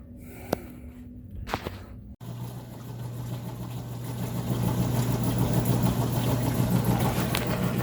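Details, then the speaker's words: Frigidaire top-load washer that smelled of smoke and screeched, belt removed: in agitation a low steady hum builds smoothly with no grinding or knocking; normal agitation, worn belt suspected. "so i went ahead and put it into an agitation and it sounds great"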